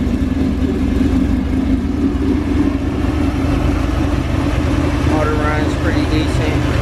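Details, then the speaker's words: Chevrolet El Camino with a 355 small-block V8, performance cam and aluminum heads, just started: loping, choppy idle with a deep uneven burble from the cam, steady and strong; sounds healthy. "so I'll go ahead and start it up so you guys can hear it [Music] yeah you hear Hamed out it sounds is in pretty good"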